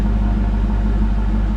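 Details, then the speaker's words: 2001 Mustang Bullitt V8, about 100,000 miles, with a JBA stainless off-road H-pipe and stock Bullitt mufflers: a deep, steady idle rumble with no stumble. "So probably the more air that's running through the mufflers, they're probably even going to get a little bit louder over time, I would imagine. So it's got a really nice rumble to it."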